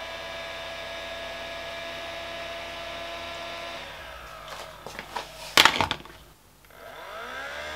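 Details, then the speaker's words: Projector after fix, its cooling fan earlier clicking, likely squished and rubbing the case: steady soft fan hum with faint even whine, then some clatter; fan running normally and projector working. "and it's working right there you go a very very simple fix and um i was able to tell them i think it was probably just a one-off problem due to it being the fan"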